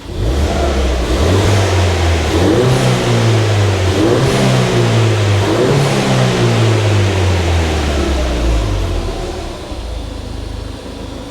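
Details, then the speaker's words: Ford Fiesta ST after a replacement ECU, engine cover off, revved in several clean blips returning to steady idle with no misfire or knock; injector clicking audible, owner unsure if normal: normal revving. "he's still running so that's a good thing and the engine is sounding really good"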